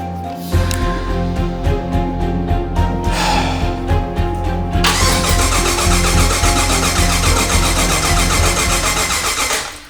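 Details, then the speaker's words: Ford Ranger with LSX swap, first start attempt after fuel system pressurized: even starter cranking about three beats a second with no firing; power to coils and injectors but no spark, cranks no start. "No sparky. I don't hear it. Power to the coils. Power to the injectors, but they're not firing. Why aren't they firing? It didn't turn over, unfortunately."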